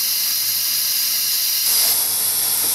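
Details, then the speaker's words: 2007 Pontiac Grand Prix 3.8 after water pump replacement and flush: air-driven vacuum fill tool gives steady even hiss brightening partway, pulling toward about 22 inches, coolant hoses sucked flat; normal vacuum fill operation. "you see like the coolant hoses and stuff that's getting sucked right you know sucked right flat as it pulls the"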